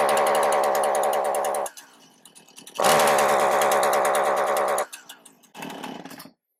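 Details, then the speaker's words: Husqvarna 455 Rancher chainsaw, 4 hours of total runtime, after about 5 minutes warming up: it revs steadily, then abruptly dies, catches and cuts out twice more; a spark tester shows it drops spark once the ignition coil gets hot. The plug was already changed. "Once it warms up, it starts breaking down and doing that. I don't know how else to describe it. It's dropping spark once the coil gets hot."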